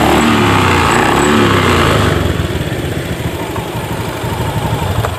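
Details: Honda Beat scooter after fixing weak battery, faulty brake switch (jumpered) and broken CKP cable, electric-started with fuel pressure about 15: starts cleanly and holds a steady, even putter; fuel pump still due for replacement.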